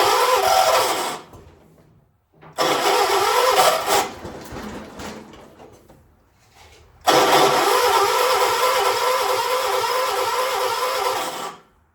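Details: 1976 John Deere 300, cranked using a jumper pack: three long cranking bursts with pauses; engine churns but never catches; hard starting, cranks without firing.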